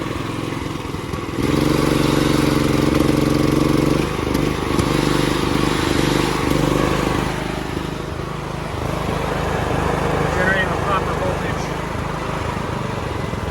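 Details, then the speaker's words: Mitsubishi MGE 4000 generator, sat a few years, after carburetor cleaning and fresh gasoline, choke flipped off: it catches and runs smoothly with no sputter, then auto idle drops it to a steady lower idle, about 100 volts. "With the auto idle on, it runs fine now. It's not sputtering out anymore."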